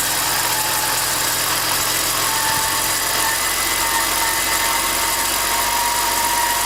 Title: e46 whining chirping sound